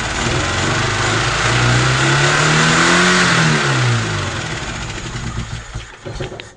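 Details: UZAM 2.0 engine on 78 camshaft with two Solex carburetors, first start without tuning: revs up and falls back unevenly, then stumbles and nearly stalls at idle; jets later found all mismatched, giving uneven mixture.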